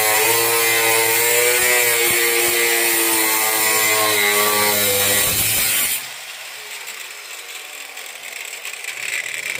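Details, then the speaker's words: Angle grinder during 1972 Mustang trunk floor restoration: high steady whine with a slight speed wobble, then it suddenly drops out, losing power intermittently. Suspected bad cord. "Sounds like you got a bad cord on a grinder."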